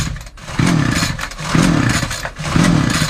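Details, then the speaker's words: Hard-starting Titan two-stroke multi tool strimmer, loose bolts, before new plug; three pull-cord strokes give raspy cranking that never fires, though it has spark and plenty of compression; suspected fuel starvation from a tank not venting. "No, it ain't going to start. But this machine's pretty sound. It's got a spark, it's got plenty of compression."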